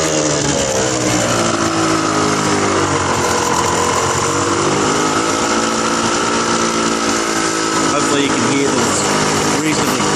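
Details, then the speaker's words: Suzuki RGV250 two-stroke, about 43,000 km, cold engine on full choke after kick start: buzzy, crackly idle a touch high, pitch wavering slightly but firing evenly, both pipes smoking evenly; normal cold idle. "them both exhaust pipes are smoking evenly a little bit high at the moment that usually goes down soon choke is fully out"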